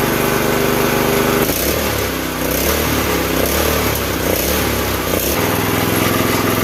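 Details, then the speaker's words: Campbell Hausfeld CE2000 gas air compressor with 5.5 HP single-cylinder engine, running with belt off: steady, busy pace with no misses or knocks; sounds healthy. "So the weird aerating noise that you can hear as that built up to the proper pressure was this valve assembly here."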